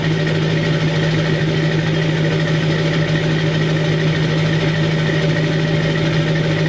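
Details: 2002 Chevy 2500HD LB7 Duramax diesel, cold start at 5°F on Merchant high idle, with Airdog lift pump, PPE boost valve and resonator delete; steady, even clatter at raised idle with a strong low drone and no knocks or misses. Normal diesel high idle.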